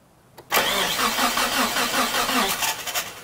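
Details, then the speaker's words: Mitsubishi Galant VR4 after long storage, cranked in neutral with coil and fuel pump disconnected to build oil pressure, on a four-year-old (2012) battery despite trickle charging; sluggish uneven cranking with no firing; slow cranking from weak battery. "It's cranking over. That doesn't sound good at all. So that battery doesn't look like it's so good. I think that battery is dead."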